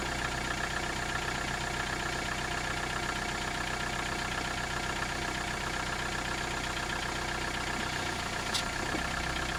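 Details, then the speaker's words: 1991 Toyota Camry engine at steady idle, mic in engine compartment with hood closed: light, fairly regular knock over busy mechanical clatter; owner unsure whether bottom-end rod knock or top-end valve noise. "The question today is is that engine noise on the bottom end like a rod knock or is a noise on the top end more in the valve area?"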